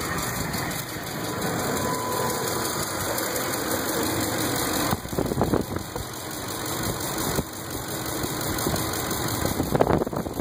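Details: 2005 Ford F-150 5.4L 3V V8 idling with a busy, fast ticking over the engine note, caused by seized hydraulic lash adjusters (lifters).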